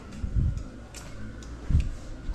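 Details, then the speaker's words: 1987 Yamaha TW200 with engine not running and a low battery: light, uneven ticking of the turn signal flasher with a couple of dull thumps while testing the left signal; irregular clicking. "You probably heard the uh the turn or the turn signal switch. You can hear it clicking a little"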